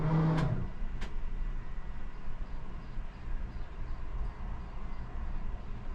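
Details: 1982 Catalina 30 sailboat engine after replacing a blocked exhaust manifold and rebuilding the water pump: a couple of sharp clicks, then a low, steady rumble. The engine starts and runs smoothly.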